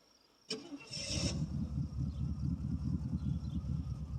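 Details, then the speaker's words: 1979 Oldsmobile Ninety-Eight 403 V8 cold start on 20-year-old gas, run without coolant: cranks, catches, then a lumpy, uneven low rumble at idle that wants to die unless the throttle is held to keep rpm up. "see little idle here n she don't like the idle here may maybe you can fire it up"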